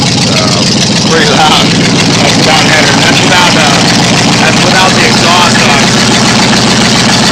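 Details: 1990 Ford F150 with freshly rebuilt 302 V8 after rebuild: loud but even idle, a steady rumble with no misses or knocks, no leaks; healthy.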